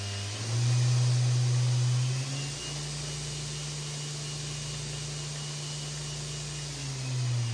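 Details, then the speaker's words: Blackfox 2"x72" belt grinder, newly assembled, VFD-driven motor in forward: smooth, steady hum that drops in pitch as the speed is turned down, no grinding or rattle; normal running. "We're going to put it in forward and turn it on a little bit. Whoa, look at that. We have a bench grinder, and the lights didn't dim or anything."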